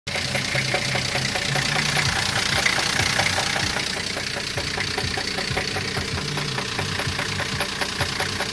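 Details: Engine idling with a sharp metallic knock, about two to three per second. Speaker mentions spun bearing shells (вкладыши) as the possible cause, unconfirmed.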